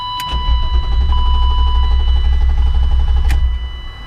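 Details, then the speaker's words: BMW E36 325is coupe with immobiliser code active, door open so the dinging is audible; steady starter cranking about three beats a second, engine never catches. Owner believes the code shuts off the fuel pumps: immobiliser lockout no-start. "I gotta start the car and it will not start because it shuts off that weird dinging sound that's because the code is on that's that sound for that anyway I'm pretty sure it shuts off the fuel pumps"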